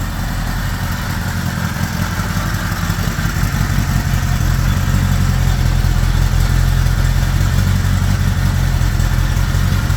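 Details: 1975 Honda GL1000 Gold Wing flat-four after water pump re-seal with new gaskets and O-rings: steady, even low burble at slightly fast idle with choke on, no knocks or misses; no leaks, less smoke.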